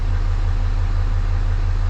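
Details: 2018 Ram 2500 Mega Cab diesel, about 41,000 miles, after oil change and fuel filter change with fuel system primed: deep, steady, even idle rumble, no misses, knocks or hunting; normal.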